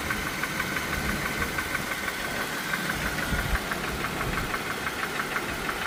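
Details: Dodge Chrysler Jeep Ram 3.6L V6 at steady idle: sharp, even knock about three times a second over the engine; worn rod bearing, rod knock.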